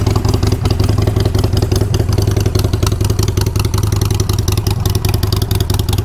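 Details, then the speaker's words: V-twin with 5,417 miles: lumpy idle with a loose metallic clatter on each beat, about three a second; rattle from near the exhaust, also heard when kicked, cause unknown. "but there is a little bit of a Rattle and the rattle is coming back to right around this area you can even hear it when I kick it"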